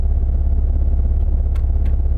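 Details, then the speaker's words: Buick Grand National with a possibly genuine GNX intercooler, moved and reversed without stalling: deep, even rumble with no misses, running better now that fuel pressure has come up after being poor at first. The map sensor is still in doubt. "fuel pressure came up by the way hey it's running better now"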